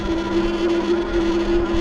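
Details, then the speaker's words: 2025 Wallke H9 AWD e-bike climbing a hill from a dead stop in pedal assist 5, seventh gear, about 9 mph: steady electric whir with a fine rapid flutter from the front hub motor chattering under load; a quick throttle blip stops it. "Whenever you hear that chattering in the motors, guys, just give it a quick throttle and it'll stop. That's what I found out."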